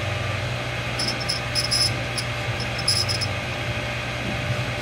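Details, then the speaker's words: New 1.5 HP Water Ace sprinkler pump: steady low motor hum with short, irregular high-pitched chirps on top, a squeak that developed after about 5 minutes of running. Cause unknown, owner thinks possibly a bearing. "idea what that sound is. It sounds kind of like a bearing, kind of."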